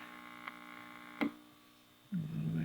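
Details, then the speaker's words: Kerenola Trav-Ler AM tube radio, testing electrolytic filter capacitor values (schematic 8/12/16 µF): steady low buzzing hum with overtones; 10 µF added to the 8 worsens hum, going lower reduces hum but also volume and reception. "so the lower i go the lower the home goes but the lower the volume goes and the lower the radio reception goes"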